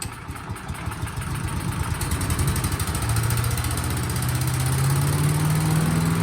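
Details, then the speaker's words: Cub Cadet CS 2210 chipper shredder small engine after water flushed from fuel system, carburetor cleaned and fresh gas added: catches, picks up speed over a few seconds and settles into an even, steady beat; normal running. "all right well that was a fun little project i started upgrade as soon as the carburetor was cleaned and all the water was out of the system"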